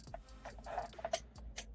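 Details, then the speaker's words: Quiet, uneven flasher relay clicks; turn signals and hazards work on one side only, suspected cheap combination switch. "if I just but that's only one hear that relay clicking yeah that ain't I think that's in here almost has to be"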